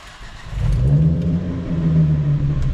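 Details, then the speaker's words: BMW X5 diesel after fuel filter and injector/fuel system work: it catches immediately on cranking, with no priming needed, and settles into a steady low diesel rumble with a brief rev. A clean, healthy start. "a so he starts up straight away which is perfect"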